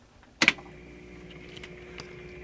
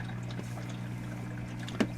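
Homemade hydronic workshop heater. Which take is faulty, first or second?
first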